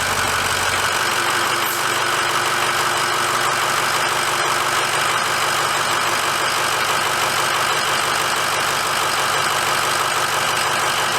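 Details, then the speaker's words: 2006 Ford F350 diesel just after oil and fuel filter change, started to run a minute: steady idle with even clatter, no misses, surges or odd knocks; runs smooth. "okay i'm just going to finish topping off the oil and then we'll fire it up okay let's start her up and let it run for a minute"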